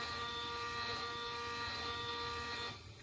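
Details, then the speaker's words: Kit-built 3D printer, Z axis jogged from the computer software. It gives a steady, even stepper whine of several pure tones for under three seconds, then stops cleanly; the axis moves freely and normally. "so I'm just going to move the x-axis a little bit okay that's the x-axis U this is the Y AIS and this is going to be the z-axis which is the slowest one um so it's just moving up a little bit"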